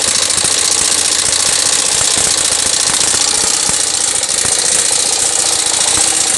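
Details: Yamaha SZ 150 single-cylinder at idle with loud, fast light metallic ticking and rattling from the top end, still noisy after timing chain and tensioner were replaced; oil level still present, cause unconfirmed.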